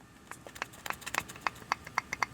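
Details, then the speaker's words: 2008+ Nissan Rogue ball joint, arm moved by hand: sharp squeaks with each push. The joint is worn with much play, and its grease leaked out, so it runs dry. "I was getting a lot of squeaking noises and you can tell there's so much play between the boot and the actual stud that the grease leaked out there was nothing in here"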